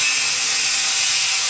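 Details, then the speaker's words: Dremel rotary tool, estimated 20–25 years old, cleaning corrosion off a Galaxy S3 motherboard: high, hissy whir with a scratchy, uneven edge; sounds sick, cause unknown. "You can hear my Dremel tool is"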